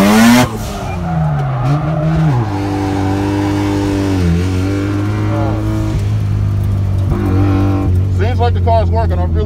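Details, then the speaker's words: Mazda RX-7 FC rotary driven hard during a slide; revs climb and drop hard with tyre squeal, pulling cleanly without misses or cutouts; engine seems healthy under hard load, exhaust reported much better. "I really tried to put hell on it right there."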